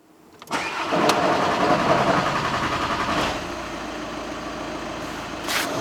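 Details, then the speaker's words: Audi Q3 2.0 TDI after fuel filter replacement and priming (ignition cycled on/off six times): starter churns briefly, diesel catches, runs a little uneven then settles to steady clatter; hard start from air in the fuel system. "As you can see, the car started. It struggled a little bit in the beginning, but it obviously had a little bit of air in there, but now it's all good and that should be fine now."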